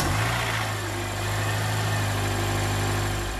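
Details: Honda Accord Euro CL9 first start after installing an Injen short ram intake with pod filter (kit meant for US Accord coupe, same engine): steady, even idle with a smooth low hum, no knocks or misses, no check engine light. Normal idle.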